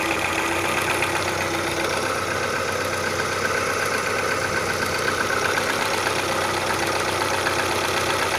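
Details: Faint, fairly regular knock about four times a second under the steady idle of an Audi 80 B3 1.8 engine; source of the knock not pinned down.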